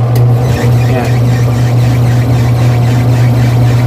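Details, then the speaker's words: Twin-tub washing machine, empty, running on a newly made dual capacitor replacing the weak 4-wire capacitor's dryer section: steady low motor hum with faint empty-drum rumble, even and unbroken; both wash and dryer motors work normally. "Yan mga teknik, working siya parehas. Dual capacitor yung ginawa natin."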